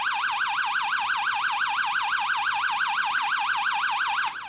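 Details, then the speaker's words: Avro Shackleton stall warning tone generator (6A/12860, early 1970s) on bench test, angle of attack below stall: steady warbling tone sweeping up and down several times a second, then cutting off; normal operation. "Actuellement, la situation est normale. L'angle d'attaque est inférieur à la condition de décrochage."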